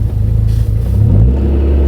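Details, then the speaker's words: Audi TT after fuel pump replacement, started first time, on test drive: deep steady engine note rising smoothly under a throttle blip, no hesitation or misfire; revs cleanly and seems to get fuel better. "seems smoother it's like he's touching the pedal and it kind of you can tell it's getting the fuel better"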